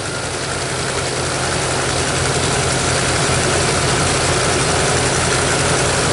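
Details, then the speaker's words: Ford classic truck (1977 F250, 1978 F100 or 1993 F350 dually) after coaxing to start: loud, steady V8 idle with an even low rumble, no miss or knock, warming up. Normal idle. "Sounds good. Yeah. It always starts so darn good. It sounds good."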